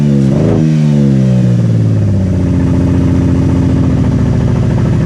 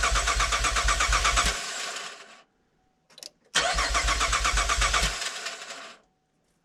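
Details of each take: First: Crash-damaged Camaro on trailer, first start after swapping parts from a parts car: fires with a quick rev that drops back, then holds a steady even idle; starts and runs fine. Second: Camaro that cranks but will not fire: steady fast cranking, about 2.5 beats a second, twice, never catching, with no fuel pump hum or prime between tries.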